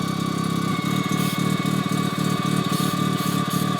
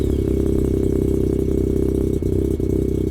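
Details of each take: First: Engine with new turbo on stock parts, at low idle, pulsing rasp near four beats a second with loud rushing hiss as compressor sprays air back out its inlet, not building boost. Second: Rotary engine with a new turbo and blow-off valve wired up, warmed to about 140 degrees, closed-loop fuel on, mic at the front: a faint steady turbo whistle over the exhaust, boost no longer fluctuating, a normal healthy sound.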